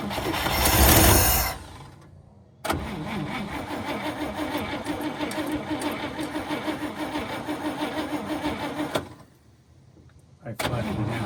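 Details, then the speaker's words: 1954 Cadillac, sat about three years, gas poured in, 12 V battery: starter churns steadily about six seconds with no catch; owner suspects flooding or no spark from shot plug wires. Cranks but will not start. "But at least we know she turns over and wants to fire up."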